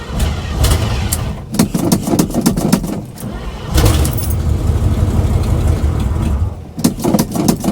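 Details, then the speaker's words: 1979 Chevy two-wheel-drive pickup on a morning cold start, with no electric choke fitted and vacuum leaks not yet fixed: repeated cranking bursts, then a ragged catch with revs surging and sagging; hard cold start. "It doesn't have an electric choke on it yet. It needs that, too. So, it's going to start up hard this morning, but I'm going to start it up right now."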